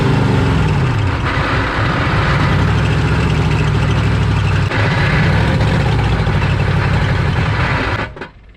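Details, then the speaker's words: 1986 Chevy one-ton dually with swapped 6.2 L Detroit diesel, sitting 22 years: heavy uneven clatter with a grinding undertone, struggles and dies after about eight seconds; owner suspects the starter is stuck engaged on the flywheel. Rough running with grinding. "sounds like it's stuck on the flywheel because every time this engine starts running I hear that starter thanks some something sounds really bad"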